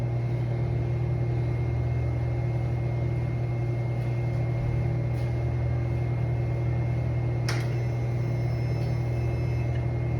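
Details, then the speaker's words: Harley-Davidson Road Glide M8 after cam swap, first start with no exhaust slip-ons fitted: loud, deep steady drone from open pipes, low even beat, brief clank midway; V-twin idling normally, sounds amazing. "I did fire it up for the first time last night, and oh my god, this thing is stupid loud. It sounds amazing."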